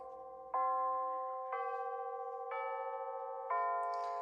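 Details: Bulova C3542 battery wall chiming clock just after replacing the chime batteries, old since October 2020: four clear ringing notes about a second apart, each full and even; the chime sounds strong and normal, much different than before.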